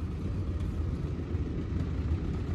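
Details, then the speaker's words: Honda Civic GL (EC9) with dual carburetors, new straight-through exhaust just installed: a loud, deep open burble at idle with an uneven low throb. Much louder than before, normal straight-pipe note. "muito mais barulho carros muito melhor"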